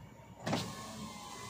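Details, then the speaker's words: 2023 Toyota Avanza G 1.5 A/T driver-side front power window after repair: short quiet motor whir, no click or snap, on auto up and down; previous clunk from loose bolts fixed, now normal. "tutup buka otomatisnya kita coba otomatisnya jalan sudah enggak bunyi sudah normal semua"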